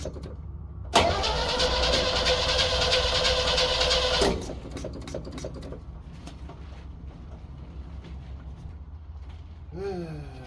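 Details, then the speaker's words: 1964 Chevrolet Suburban, new fuel pump, tank leak fixed, new ignition wiring, unprimed (usually needs priming): starter turns engine steadily about three seconds, roughly three turns a second, never fires; crank, no start, cause suspected, not confirmed. "Let's see if she'll start on her own. I don't know that it will. We've always had to prime it, but hey, watch yourself, Mary."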